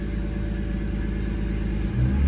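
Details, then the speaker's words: 2000 BMW E46, M52B28TU engine, with the EML light on: a low, uneven idle that wavers and lumps after each light throttle blip. Rough idle; a throttle body or electronic fault is suspected. "every time I give it a little bit of gas the idle is rough and uh yeah it doesn't sound good"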